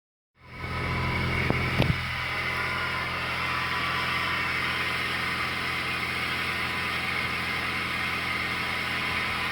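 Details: 2004 Suzuki Aerio cold start: engine catches and idles with a busy, hissy clatter and a faint high whine creeping in; weird noises when first started, cause unknown.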